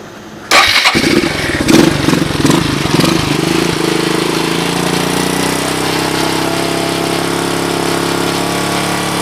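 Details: Suzuki DR200ES after fire damage, fitted with Honda 250 clone carb, oversized for the 200cc engine, no air filter: catches at once, a few blips, then steady even single-cylinder idle; starts and runs fine.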